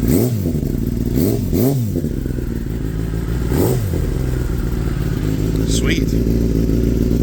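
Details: Kawasaki ZX10-R after wreck rebuild with new rim: three quick throttle blips rise and fall cleanly, then a steady even idle, no knocks or rattles; no check engine light, sounds healthy.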